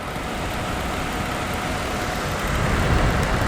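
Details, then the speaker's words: Dehumidifier after the stuck, loose motor shaft was pushed back down with a screwdriver: steady airy fan rush with an even low hum on high speed, no rattle or buzz; now quiet and working normally. "I pushed it down and it's now gonna look quite and all the peers to be working as it should be"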